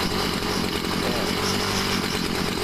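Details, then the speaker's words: Homelite two-stroke weed trimmer, over 10 years old, just revived by a spark plug replacement, running cold before warm-up; high buzzy steady drone, sounds a bit funny but no misfires or cutting out: normal running. "so I'm just going to wait till it warms up it kind of sounds funny but later it's going to run smoothly because it's going to warm up a little bit more"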